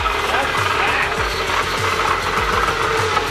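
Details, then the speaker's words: Used Bridgeport milling machine, just moved into the shop and first powered on: loud, rough whirring with a harsh scraping edge over the motor hum as the spindle runs forward; worn spindle bearings that can be replaced. "That sounds scary. The bearings, he said the bearings are in pretty bad shape. So that's a thing that can easily be replaced and it'll be quieter."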